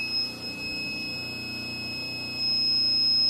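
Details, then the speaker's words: Inverter fed through a boost converter, powering a rotary converter whose run-capacitor phase feeds the inverter back; a steady high low-voltage warning beep over a faint hum, battery holding at 10.2 V. "you hear the buzzer going because it's low voltage, but it is sustaining itself."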